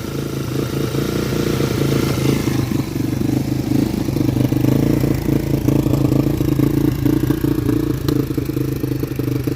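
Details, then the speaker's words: Yamaha Warrior ATV single-cylinder after sitting, first start with new parts, on full choke: putters unevenly, beat stumbling and hunting instead of a steady idle; owner almost sure the carburetor is at fault and plans to swap it. "she's running just real shitty as i expected and sat for"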